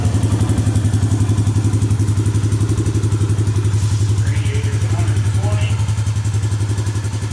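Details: Suzuki Vinson 500 quad, warm, after a new head gasket and new oil: a steady, even thump with no ticking or knocking. Temperature readings climb from 120 to 140 with no smoke, and it sounds better than the very noisy engine before.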